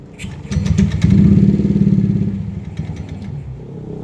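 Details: Yamaha NMAX scooter brought in for stalling, hesitation and bogging, on a test start after work: it fires after a few uneven pulses, then settles into a steady even idle as the air-fuel ratio drops from 17 to a normal 13–14.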